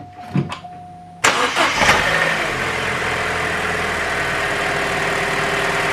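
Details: Vauxhall Adam petrol engine, after replacing a faulty coil pack that had caused misfires, cranks briefly, catches cleanly and settles into a smooth, even idle: normal start and idle.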